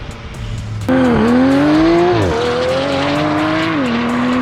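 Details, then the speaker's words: Porsche 991.2 911 Turbo S with newly installed custom headers and catless titanium exhaust, on a test drive: loud clean exhaust note climbing smoothly through each gear with crisp shifts, no misfire or rattle. Healthy exhaust note under acceleration. "the car is quiet when it's in its lowest settings when it needs to be obnoxious it really is I like the fact that we could turn it up when we need to so all in all I really rate this exhaust"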